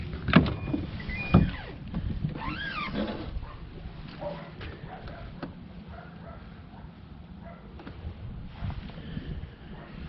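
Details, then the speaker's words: 2012 Nissan Armada power liftgate, trim removed: actuator motor whirs in short rising and falling runs while the gate does not move; liftgate will not power open or close. "Okay, so I got this apart. I can hear the actuator running, and if I mess around with it the right way."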